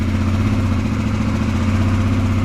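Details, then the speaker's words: 2022 Yamaha TTR-125 air-cooled bike after installing a Tusk cold start jet kit and cleaning the carburetor bowl, first start with choke disengaged: smooth, even idle with no stumbling or hunting; normal idle. "I do believe first start, it started right up. Idling perfect. This is wild."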